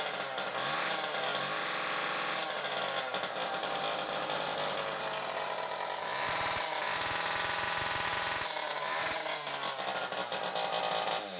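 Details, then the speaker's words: Stihl KM94RC two-stroke combi unit, carburetor replaced and air leaks fixed, died when revved on choke; run with the muffler removed it gives a harsh, raspy high-pitched howl and revs freely, pointing to a blocked, oily, mucky exhaust. "Choke on. You rev it up and it dies. Well, I suspect that the exhaust is blocked."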